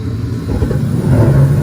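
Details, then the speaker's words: Attic gas furnace after troubleshooting, fuse checked and flame sensor and igniter reconnected: low steady rumble swells after about a second as burner catches and settles into an even roar; igniter and ignition normal after repair. "Here again, the igniter start normal after I connect it again. Now the flame will start."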